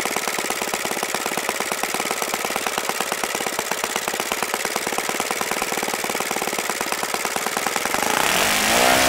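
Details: OS FS-95V four-stroke model engine, first run after rebuild, on 15% Omega four-stroke fuel, 14x6 prop, OS F plug: crisp even rapid firing with steady bark rising smoothly near the end; easy starting, nice running engine.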